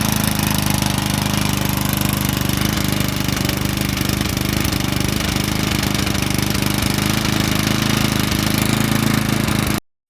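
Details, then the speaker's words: Lawn mower small engine after oil change and refuelling, restarted: steady even putter with no misses or surging; running a lot better, normal running. "So basically I gave it a ran, then I just shut it off, and then it's running good now. So it's running a lot better actually with that"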